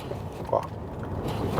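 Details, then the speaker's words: Ford Fusion suspension: short, low groaning creaks as body is rocked, noise growing with repetition; owner hears it in traffic; possibly parts starting to fail, source not yet found. "é bem baixinho mas é um track que incomoda o cliente porque ele pega muito trânsito e tudo mais então ó aumentou o barulho já aumentou lá vamos fazer de novo"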